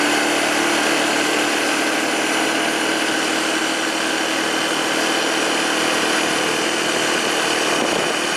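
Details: 2007 Arctic Cat 400 ATV after carburetor cleaning and spark plug replacement: single-cylinder holds a steady, even buzzing idle with no knocks, misses or surging; normal idle.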